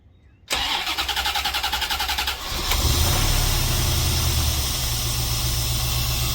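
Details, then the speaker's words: 1991 C4 Corvette after fixing exhaust rattle: starter cranks about two seconds, engine catches and settles into steady, even idle with no rattle; sounds good, possible front misfire still to be checked. "there is no rattle anymore there's no rattle anymore and it sounds so good"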